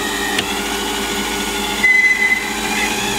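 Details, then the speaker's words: Lathe power feed motor whining steadily over cutting hiss while roughing the cylinder bore for a Stuart Models S50 engine at about 450 rpm; aggressive feed, owner plans to replace it with a NEMA 23 motor like the milling machine's power feed. "that noise you can hear is the power feed so yeah it's quite an aggressive feed but i am roughing out"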